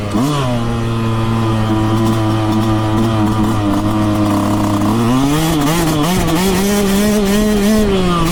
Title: YZ125X Making Noise